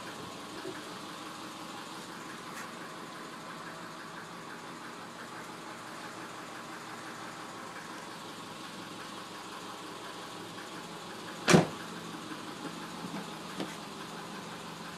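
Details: 1999 Subaru 2.5L EJ25 at 180K miles: quiet steady idle with faint, fast hollow tapping under exhaust note; piston slap evident, engine being pulled for rebuild.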